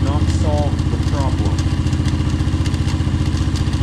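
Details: Kayo MR150 single-cylinder engine after installing a manual cam chain tensioner: a steady idle with a busy, even clatter on each firing pulse; the crankcase rattle persists. Owner suspects the starter clutch, since the electric starter was removed and plugged.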